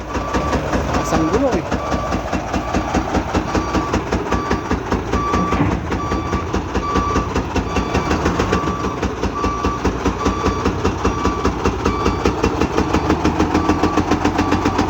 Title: Engine Knock Unloading Truck